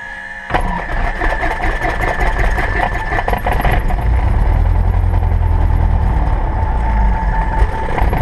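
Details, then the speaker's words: Cessna 172R engine start: throttle opened a quarter inch, mixture pushed in as it fires, throttle pulled back to keep it under 1,000 RPM. The starter whirs, then the engine catches and settles into a steady, even rumble with a clean start. "You're going to push the mixture in once it starts to fire, and you're going to pull the throttle out so it doesn't go over 1,000 RPMs."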